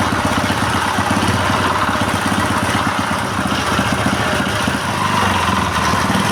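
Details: Honda GX160/200-type small single-cylinder petrol engine that would not start, now running after carburetor cleaning and throttle adjustment with the fuel tap open: even, regular firing at a deliberately raised idle so it won't stall under water-pump load; no misfires, normal running.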